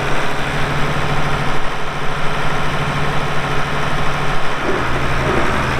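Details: 1979 International 986 2WD cab tractor diesel, about 3,200 estimated hours (meter reads 2,321, not working), light use on ~50 acres: steady even idle, deep consistent low thrum, no knocks or misses; runs great, normal idle.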